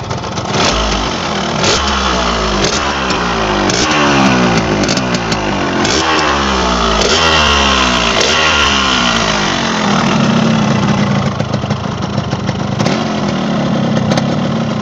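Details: 2001 Yamaha RX-King with its original YP1 engine block: crisp, ringing two-stroke burble with quick throttle blips. Pitch rises and falls cleanly with no knocks or rattles, a normal, healthy two-stroke.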